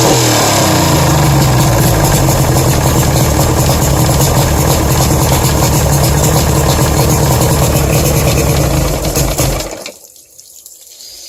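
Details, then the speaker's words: 1992 Lund Pro-V outboard running rough with a fast uneven knock before cutting out; owner suspects rod knock or piston slap, unconfirmed; runs slow, light blue smoke, carb thought tuned right. "making a knocking sound I'll go better rod knock or what or a piston slap don't like the way she spouts"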